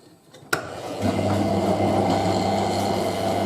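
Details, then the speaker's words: Hotpoint 9530W Electronic 1000 Plus washer, towels on Programme 1 85°C White, entering distribution drain: sharp click then a steady, even, very loud door interlock buzz; normal lock energised. "Can you hear how loud the interlock buzzes? This has got a very loud interlock."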